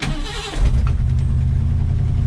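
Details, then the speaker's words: Old Ford F100 pickup, not on the road for about 17 years, after carburetor rebuild, in neutral: brief crank then catches immediately into a steady even low rumble; quick start, healthy idle. "that's a good running truck y'all"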